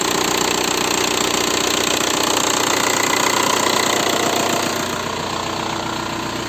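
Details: VW 1.9 TDI (ALH/AGR/ASV/AHF) diesel idling after an oil change: steady sharp ticking about three per second plus a heavier knock. Worn hydraulic lifters and piston slap; new lifters mostly cured it. Rings likely burnt from oil changes only every 30,000 km.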